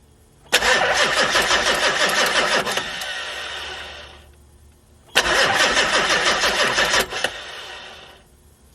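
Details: Project ambulance with newly mounted turbo: two long cranking bursts, quick steady churn about three turns a second, never catches; a pipe plug in the turbo pedestal was leaking oil, so starting was stopped; cranks but no start.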